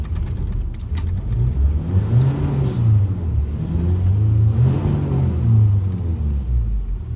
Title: Single cam hard start 240sx